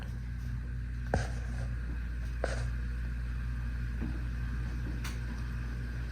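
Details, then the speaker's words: Old 52-inch Encon Contempra Supreme hugger ceiling fan with a spinner motor, on low speed. Steady hum caused by its really old dial-type fan control and light dimmer. "It's got a good low speed to it. Does make a little hum to it because it runs on a really old control."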